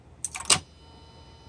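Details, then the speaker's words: Mercedes non-ASR throttle actuator on bench after clutch coil repair and wiring replacement, unit hot from overnight bench time: sharp crisp clicks as clutch coil engages drive gear to throttle plate on reset, then quiet hum; works properly. "can see clutch coil in there activates this is the clutch coil it connects the drive gear to throttle plate here"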